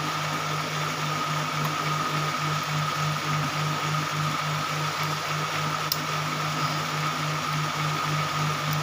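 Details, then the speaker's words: Model 8500B sewing machine after re-setting the timing, which had slipped and made it noisy. An even, quick needle-bar beat of about 3.5 strokes a second over a steady hum, no knocking; now running smoothly. "मैं machine का यह जो machine है मेरा इसका timing मिल गया तो बहुत धन्यवाद आप देख रहे हैं ना कैसे भाग रहा है"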